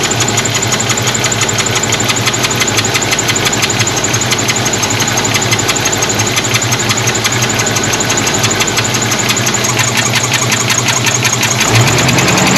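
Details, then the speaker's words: Engine first started after sitting 17 years, with coolant just refilled: fast, fairly steady ticking about three per second over a rough idle with a miss; owner suspects an oil-starved lifter and plans to pull the valve cover. "What it sounds like to me is a lifter star for oil. I think I need to pull the valve cover and make sure we're getting oil up here up top because it sure sounds like or sounds like one starved."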